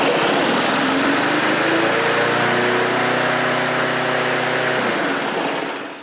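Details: Briggs & Stratton 3.5 HP push mower engine with Pulsa Prime carb-on-tank and primer bulb, test run after carburetor clean and rebuild (tank has a pinhole leak): steady even buzz for about five seconds, then smooth shutdown; normal running.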